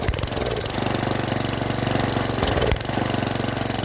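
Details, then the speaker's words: Junkyard Briggs & Stratton tiller engine, about 5 hp, freed after being flooded and seized, first start on fresh gas: rough single-cylinder with uneven rise and fall in speed, owner hopes it clears out. "Runs. Surges a little bit, but maybe if we let it run a little bit, it'll clear out."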